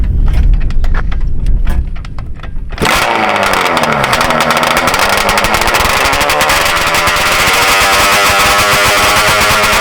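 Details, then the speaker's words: Electric race Banshee build, carburetor adjusted half a turn richer: after a few rough pops it catches and revs crisply, pitch creeping up and hanging away; still slightly lean, later set a turn and a half richer total. "It's close, but you hear it still running away a little bit."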